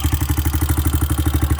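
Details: 2001 Honda XR200R single-cylinder, bored out with a new top-end kit and rebuilt carb, idling after start-up: even quick ticking with each firing pulse, a suspected top-end valve-train tick; cause not pinned down, louder on the recording than in person.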